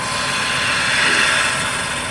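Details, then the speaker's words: Sharp skew chisel cutting wood on a quiet lathe: a smooth, even, high hiss with no chatter or scraping, which is the sound of a sharp tool cutting virtually effortlessly. "Sharp tool is virtually effortless. You hear that sound? That's a sharp tool. It's got a hissing sound. You got to have a quiet lathe to hear it though."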